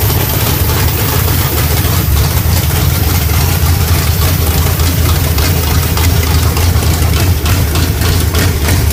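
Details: SBC 350 small-block V8 with Thumper hydraulic roller cam: loud, uneven, choppy lopey idle with loping exhaust beat, from the aggressive camshaft.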